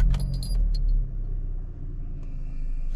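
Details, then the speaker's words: Hyundai Elantra (2013/2014) idling with the air conditioning on after the OBD codes were reset for a check-engine light: low, even rumble, no shaking, misses or surges, steady tachometer, no smoke; engine idles smoothly. "see no shaking no nothing the engine really steady it's stable on the taco that's always aiming"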